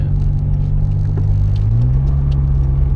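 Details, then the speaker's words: Honda S2000 on newly fitted, too-low 7Twenty coilovers, on the drive: deep road rumble with dull thumps, banging and rubbing from the suspension; rear rubbing on plastic, sway bar suspected rubbing, needs raising. Cause suspected, not confirmed. "what is that banging i don't know i haven't done anything oh i don't like that noise oh sway bar yeah that's just rubbing"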